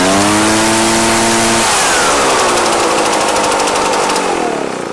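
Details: Echo PB-755ST backpack blower that died under load, after fresh fuel and carburetor adjustment: clean steady buzz winding up smoothly to high pitch and holding without dying; runs properly.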